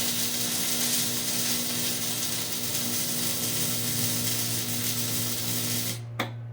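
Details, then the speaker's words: Hobart Ironman 240 MIG welding with the ground clamped directly on the workpiece; steady even crackling hiss over a low hum, wire feeding fine from the start, smooth stable arc. "To to me anyways, that sounds better. And again, now the wire starts feeding just fine."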